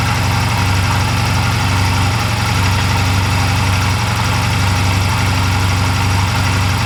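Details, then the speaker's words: 2004 Honda Rebel CMX250C twin with NGK CR6HIX iridium plugs fitted after CR6HSA plugs idled poorly: smooth, even low beat, no stumbles or hunting; steady, healthy idle. "the hix plugs seemed to be working just fine the iridium plugs uh the old plugs actually work just fine"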